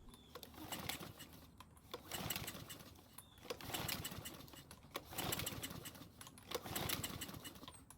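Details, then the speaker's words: Murray mower that runs only when gasoline is poured into the carburetor throat: rope pulls about every 1.5 s spin it over, but it never catches without manual priming. Owner suspects the auto-choke or carburetor; engine not yet warm. "so it still won't start on its own and i want to confirm that it will only start and run when we manually prime it"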